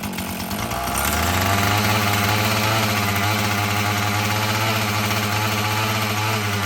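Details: Husqvarna 445 chainsaw that had bogged when throttled, after cleaning and tune-up: a crisp, even buzz at steady high revs with no surging or bogging; it runs cleanly and pulls well, though it may need adjusting as the carburetor diaphragm loosens.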